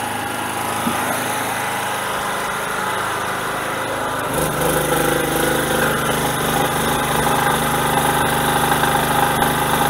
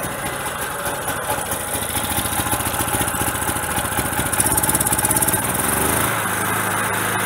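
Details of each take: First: Generator small engine, choke off, load being added: steady hum that picks up and firms as load comes on, holding an even governed beat; normal running under load. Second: Generator on gas fed through regulator to carburetor, small bottle very cold with too little tank pressure, choke closed to run: uneven loping beat, speed sagging and surging then settling; fuel starvation, bigger bottle needed.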